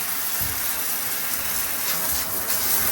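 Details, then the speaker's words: Triton electric shower after fixing an internal leak, shower head resealed: steady even hiss of water spraying freely, no spurting or sputtering; smooth flow, no more leaks. "All nicely free flowing. And no more leaks."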